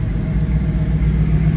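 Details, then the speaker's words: 1967 Chevrolet Camaro RS V8 at idle: steady low rumble, revs sag as the A/C compressor kicks on and cold air comes out; normal A/C compressor engagement. "See, you can hear it and see it. RPMs drop, compressor kicked on."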